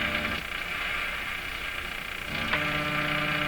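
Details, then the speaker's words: Grundig 2030 AM/FM tube radio under repair for low FM output volume: hum and hiss with a faint high whistle, and fresh steady tones pop in midway as the dial moves; a recurring odd directional tuning noise, cause unclear. "that's how much of a change one volt there's that weird tuning thing again [Applause] directional tuning"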